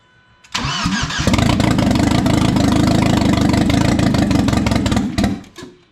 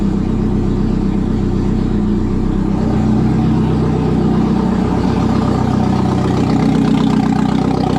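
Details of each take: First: 1997 Audi A4 B5 turbo on its first start after an engine install. It cranks briefly, catches and runs rough for about four seconds, then stalls on its own. Oil then reaches the turbo; the cause of the stall is unknown. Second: 1997 Audi A4 B5, first start after engine install, in service mode: loud, steady idle with the exhaust open, even beat with no misses, hunting or knocks; it had earlier disliked accelerating.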